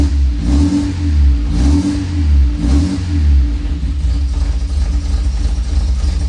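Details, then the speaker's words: 1966 MG MGB, long-stored, after starter replacement and cleaning dirty carb jets and pistons: engine catches and revs up and down smoothly, pulling cleanly with no misfire or stumble, now running healthy on fuel. "again there we go it's running on gas now"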